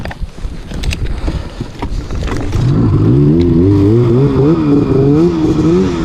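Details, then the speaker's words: Arctic Cat snowmobile on the trail after belt found too loose and spare belt fitted; revs surge up and down without a clean pull; owner suspects primary clutch holding the belt, not shifting properly. "what's that it's holding that primary clutch is holding the belt"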